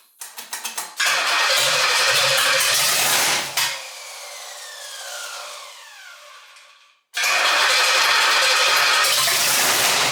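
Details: 1968 Pontiac GTO, rebuilt 400 with Butler 461 stroker kit, Comp Cams camshaft, hydraulic roller lifters, rebuilt TH400, first start after complete drivetrain rebuild: cranks briefly, catches, revs strong, drops back, then runs steady and even; normal first start.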